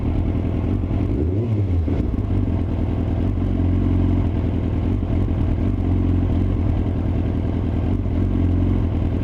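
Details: Yamaha R6 at low RPM stumbles and pops unevenly instead of a smooth beat; misfire caused by ignition coils not pressed fully home, solved by reseating them firmly, after which it runs perfectly.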